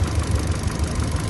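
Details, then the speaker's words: 2014 Kia Picanto at idle with codes P0011 (camshaft position) and an O2 sensor circuit fault on bank 1 sensor 1: uneven, stumbling idle with dropping pulses. A cylinder-by-cylinder check shows cylinder 2 responds weakly, so a cylinder is misfiring. "بنلاحظ انه نمره اثنين هو شويه ال الاستجابه بتاعته ضعيفه"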